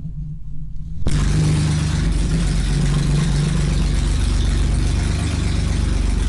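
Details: BMW E30 with swapped M30 engine, first start after the engine sat dismantled two years, exhaust ending at manifold downpipe; cranks briefly, catches first turn and holds steady idle at 800 rpm; normal start and idle.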